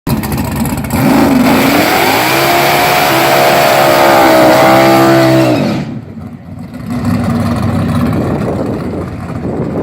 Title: Rodney ... figured out he had a bad fuel pump... didn't hook